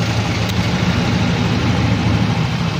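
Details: Yamaha Mio i 125 scooter (2,641 on odometer) after replacing worn crankshaft with play and bad bearing: engine idles smoothly and quietly, low steady hum, no knocking or rattling.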